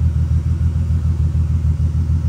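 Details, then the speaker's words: 1983 VW Rabbit GTI MK1 with VR6 swap, new Walbro 255 inline fuel pump, at idle: steady low rumble with even pulses, no pump whine or buzz; pump barely audible, no leaks. "and you can hear the pump it quiet you barely hear it like you got to listen for it"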